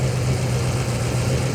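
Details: Steady low idle rumble for a couple of seconds, no stumbling or knocking, heard on a coast-to-coast road trip after cycling the pump to about 60 pressure; engine idling normally.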